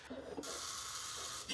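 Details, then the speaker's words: Early-1900s drag saw with 80-year-old wiring, engine not running: sharp crackling sizzle at each coil firing as the spark arcs to ground instead of reaching the plug; points and ignition are working. "His sizzling sound you're hearing is electricity burbling. You're hearing the coil fire. It's not going to the plug, but it is firing. Yeah, the ground."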